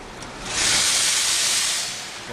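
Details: 1998 Mercedes E320 driving in sport mode, disintegrated passenger-side cat blocked exhaust, hole pierced in exhaust as temporary fix until replacement cat, check engine light flashing: loud airy hiss swelling under throttle; exhaust leak from pierced hole.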